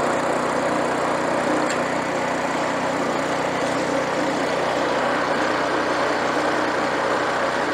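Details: Free rototiller small engine started on full choke after repair: steady, even buzz without stumbles or misses; runs smoothly, normal.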